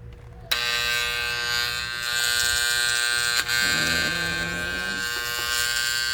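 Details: Vintage Hamilton Beach electric hand mixer, opened up and switched on: loud steady electric buzz with no spin-up; motor energised but won't rotate; owner suspects built-up dirt or batter inside and cleans it.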